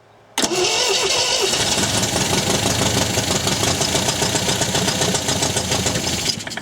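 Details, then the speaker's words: 1974 MGB GT started after sitting 29 years, timing set to about 10 degrees: catches and runs fast but lumpy, on at least two cylinders; owner suspects a carb not picking up, sticking valves or wrong firing order; misfire. "well we're running on uh at least two cylinders anyway so i'd say one of the carbs just hasn't picked up yet"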